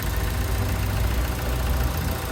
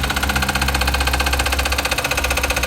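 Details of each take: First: 2017 VW Vento, first start after replacing the timing chain tensioner that was suspected of causing a strange noise: a low, even idle hum with no rattle or chatter. Normal idle; the noise seems to be gone. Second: 2017 Volkswagen Vento at idle: quick even metallic clatter of about four beats a second from the engine's front/timing end; mechanics suspect the timing chain tensioner and plan to replace it. Cause suspected, not confirmed.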